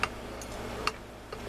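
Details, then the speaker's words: Whitey 100 (ZMN 100 crank) motorized bike bottom end turned by hand, crank noticeably loose: a few separate dull ticks over a low hum, something clicking inside the bottom end. "When I can hear something clicking in there. You hear that? I can definitely hear something going tick, tick, tick, tick, tick, tick, tick in there."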